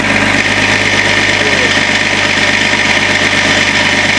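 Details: Range Rover P38 at startup, after replacing water pump and belts. Loud, fast metallic rattle with harsh high edge over idle persists. Water pump initially suspected; actual cause is the failing crankshaft pulley.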